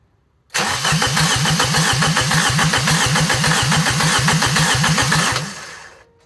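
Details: Ford Puma 1.7 rear engine in a twin-engine Fiesta: steady cranking at about three and a half compressions per second for five seconds, never catching; fuel pump wiring found disconnected.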